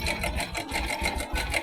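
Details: Bajaj Boxer 100S single idling: quick metallic clatter pulsing about four times a second, slack timing chain rattle; fix is replacing timing chain, tensioner and tensioner rubber.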